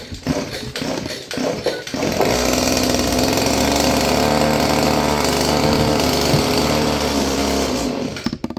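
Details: Roughly 30-year-old Stihl FS56 curved-shaft two-stroke trimmer catches after a few pulls on its first start, running raspy and uneven with wavering speed. Owner suspects a gummed carburetor and sticking throttle cable.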